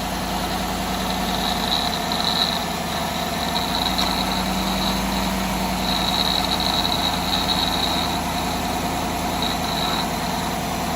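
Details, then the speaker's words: 2018 Chevrolet Silverado 5.3L idling, AC on: thin, high metallic whirr coming and going over the engine, heard for 2–3 weeks; owner suspects bad bearings; grinding at idle, cause not confirmed. "I don't hear any like grinding either. But it definitely sounds like grinding somewhere. And I noticed that for about 2-3 weeks now."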